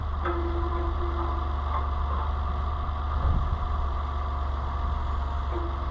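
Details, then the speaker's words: Oliver 880 tractor after a carburetor kit rebuild, on a weak makeshift battery, throttle set wide open: steady low drone of the starter turning the engine with no catch or firing; cranks but won't start, cause unconfirmed. "I hear it pulling the car down"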